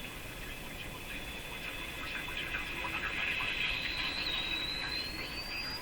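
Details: Sparton Model 5049 radio that oscillates when its IF stages are peaked: a thin high whistle holds steady, then slides upward over hiss. Tuned just short of oscillation, in the regenerative zone.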